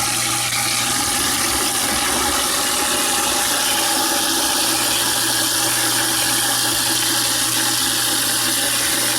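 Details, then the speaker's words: InSinkErator garbage disposal that hummed without spinning, repaired for about $5; steady whirring motor with rushing water and coarse grinding as scraps go through, working properly after repair. "Okay. Turn on the disposal and watch it devour some shreds."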